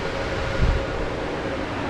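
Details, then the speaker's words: Balcony exhaust fan with an asynchronous motor on a new hum-free speed regulator, running at low speed: soft, even rush of air with a faint steady tone and no mains hum; normal, with no vibration or noise. "добавил свои на горочке сейчас на двойки ролика принципе нормально вибрации такое шума нет"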